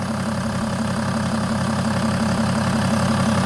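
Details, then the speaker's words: BMW E60 535d, M57D30 286 hp diesel, after overhaul for overheating, with straight pipes and no catalytic converter or DPF, started cold after several hours: steady, even idle clatter with faint turbo hiss. Normal cold idle. "It's kind of loud. Usually with straight pipes without any catalyic converters or DPS, you can clearly hear the turbochargers. The car is pretty much cold. I haven't started it for several hours."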